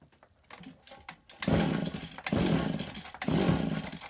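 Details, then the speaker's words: STIHL FS80R two-stroke given a little throttle: stumbles in uneven blubbering surges, running extremely rich despite a brand new air filter; owner suspects a leaking carburetor inlet needle and seat. "it is running extremely rich the air filter plugged looks like a brand new air filter uh Wonder we've got a carburetor needle and seat problem"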